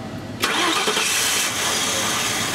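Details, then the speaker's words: 1999 Ford Crown Victoria 4.6 V8: it starts sharply, runs rough for seconds, then sags and stalls. It will not idle but runs smoothly with light throttle; idle air control device suspected. "so you hear it will not idle"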